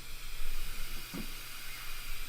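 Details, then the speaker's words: 1969 Ford F100 turbo farm truck during a leak-down test at about 10 psi: a steady airy hiss of compressed air escapes where the homemade spark-plug air-chuck adapter fails to seal in the spark plug hole. Compressed air leak at adapter. "So here you can hear the leak right there. That modified spark plug deal does not actually seal perfectly."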